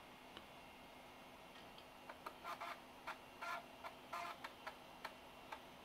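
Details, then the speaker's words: Apple PowerBook 5300c floppy drive tested during restoration: faint steady hum, then bursts of quick clicks and short buzzy seeks as the drive steps and reads. Floppy drive seeking normally. "the next thing I want to do is test the floppy drive and see if it actually works"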